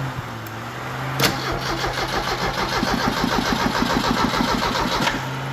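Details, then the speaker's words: 1986 Merkur XR4Ti 2.3L turbo Ford donor engine, test crank: steady rhythmic starter cranking about three turns a second, no firing, even and unbroken; normal cranking. "we're just going to give it a few little cranks nothing major"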